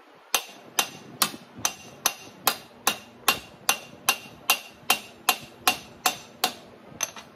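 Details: Hammer-and-dolly stretching of the outside radius of a 1941 Chevy truck lower rear window panel on a post dolly: sharp, clean ringing blows at just over two per second, each with a bright decaying ring, landing squarely on the dolly.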